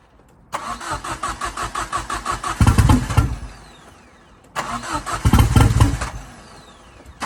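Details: Ford Fiesta RS Turbo restoration: two cranking bursts with brief coughs that never catch; fuel pump primed but owner says not enough fuel coming through. Crank, no start.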